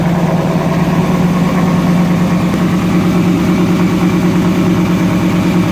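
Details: Toyota pickup with an LS V8 swap, first start after a new fuel sending unit was fitted, not yet drivable; stock Toyota buzzer sounding. Even, steady V8 idle with a smooth regular low pulse and no knocks or misses: normal idle.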